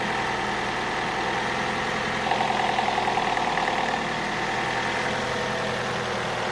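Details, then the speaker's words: Opel Astra H at idle: light irregular tapping knock, briefly clearer; owner hears it from the rear near the ECU area, says it's not the gears and there are no error codes; source not pinned down. "звук откуда-то вот отсюда сзади. Вот где-то в районе ИБУ, там где-то. Это не шестерни, ошибок никаких нету."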